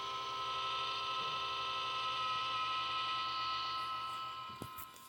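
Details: Xbox One power supply adapter (power brick) emits a steady high whine with a buzzy layer that holds constant, then stops; cause unknown.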